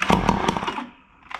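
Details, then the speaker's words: Ryobi SS30 two-stroke string trimmer whose seized piston was freed with an air compressor. It barks into a few quick firing pops for under a second, then dies. The engine starts and runs briefly. "you heard it that thing barked"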